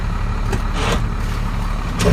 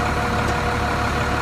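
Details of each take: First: Truck (possibly a Ford 8000) after shimming the PTO with extra gaskets: steady idle, soft clunk as power take-off engages, no gear whine; earlier throwout-bearing-like whine with clutch out is gone, engagement normal. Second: Truck (possibly an 8000) at diesel idle with clutch out: steady mid-pitched whine like a throwout bearing or pressure plate, which goes away when the clutch is pushed in; actually excessive gear lash in the PTO, fixed by shimming.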